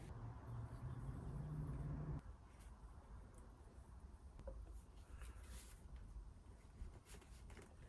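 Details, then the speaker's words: Newly installed crawlspace sump pump, float-triggered: a quiet low hum runs about two seconds then cuts off cleanly as the float drops; pump cycling normally and barely audible. "So when this little float guy comes up, triggers this lever, it turns on. You can't hardly hear it."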